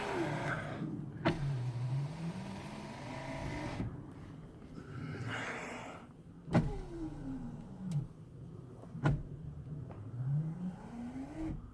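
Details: Restored 1989 Jeep Grand Wagoneer, passenger-side rear door power windows being operated: the motor hums smoothly, pitch sweeping evenly through each up and down run, with a clean thunk at the stops. The windows work.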